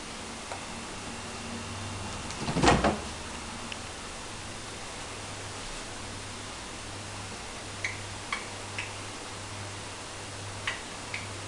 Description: AEG SANTO weird clicking noise.